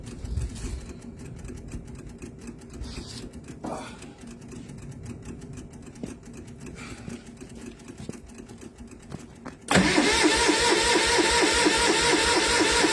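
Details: MEP-002A military diesel generator, rusty fuel: faint ticking then loud fast cranking without firing; fuel only just getting through, owner suspects a bad solenoid.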